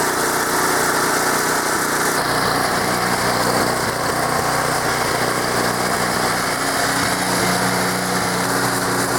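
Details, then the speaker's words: Small single-cylinder engine equipment in Maine, sat unused all summer, started on choke: catches and settles into a steady, even buzz with no misses or knocks; runs like a top. "yeah I don't see any issues with that things run like a top"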